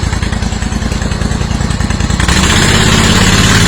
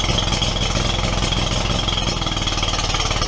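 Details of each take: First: Steiner zero-turn mower, Kohler Command 25 V-twin, after cracked oil line replaced, new stator, regulator and coils, fresh ethanol fuel added: steady, even beat swelling smoothly when revved and settling back; normal running after repair. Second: Steiner zero-turn mower, Kohler Command 25 twin, before repair: oil leak from oil cooler lines had soaked the stator, rectifier blowing fuses; uneven, lumpy chugging with loping beat, running on one cylinder.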